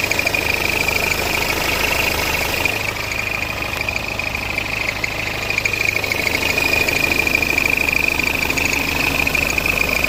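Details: BMW F10 520d N47 diesel idling: steady high-pitched squeak constantly over the diesel clatter.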